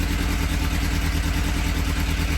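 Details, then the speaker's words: Suzuki Bandit 600 four-cylinder motorcycle, first start in over 24 hours, fitted with new plugs: lumpy uneven idle with one cylinder misfiring. "but yeah thing we need to talk out is this misfire it's a little bit on iron and get it running"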